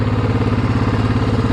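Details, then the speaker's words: 2007 Yamaha Grizzly ATV after fuel pump replacement and wiring fix, fixing a crank-but-no-start: even, quick single-cylinder putter at steady idle with no misses or knocking, running properly, though it smokes heavily under load and needs a top-end rebuild. "Now we're gonna start it up. Bam. It's rolling."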